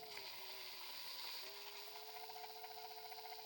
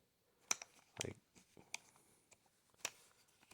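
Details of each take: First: Ridgid subcompact drill driver, used only two or three times: motor whine with uneven chattering, clunking rattle and brief catches in pitch, something in the gear mesh sometimes stopping the drill and blinking the light. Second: Ridgid subcompact drill driver: four sharp, crisp clicks about a second apart as the chuck lock engages firmly and holds the bits well.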